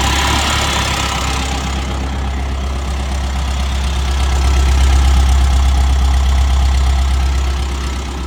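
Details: TEF diesel at low idle with a fairly regular knock, roughly 220 a minute, and an uneven beat; sounds like a cylinder misfiring. Misfire suspected, not confirmed.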